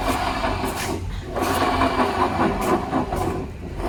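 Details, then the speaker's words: Honda Vario 125, rear wheel spun by hand on center stand, engine off: rough, crunching grind in uneven surges from rear; damaged rear pulley bearings, barely heard when riding. "Jadi ada suara yang kasar banget dan ini sangat mengganggu walaupun ketika se motor dihidupkan dan dipakai jalan itu tidak terlalu kedengaran"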